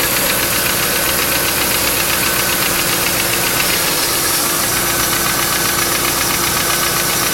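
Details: Quick, fairly even tapping of about four per second over a steady idle on a 1995 Lincoln Mark VIII LSC with the Ford 4.6 DOHC; owner unsure whether it is lash adjusters or piston slap/rod knock.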